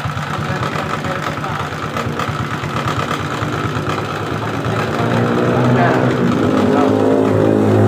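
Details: Suzuki Shogun 125 with battery removed, weak charging: single-cylinder idle with uneven lumpy wavering beat; rough running because weak regulator/rectifier (kiprok) supplies too little voltage to the CDI; smooth with battery fitted.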